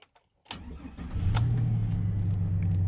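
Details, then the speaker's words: 1999 GMC Sierra at 102,000 miles starts quickly and idles steady at 800 rpm, no check engine light, before preventative injector and distributor upgrade; sounds normal. "We got a steady idle right at 800 like it's supposed to be. Sounds good."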